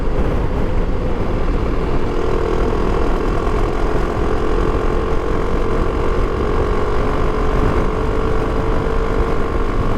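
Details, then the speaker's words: Motorcycle clutch newly installed with an oil change (oil change possibly the key fix), tested under hard pull in fifth and sixth gear at speed: steady, even engine drone holding one pitch with no rev flare, so the clutch is holding, not slipping. "Có vẻ như đang giữ được. Hy vọng là nó sẽ giữ nguyên như vậy."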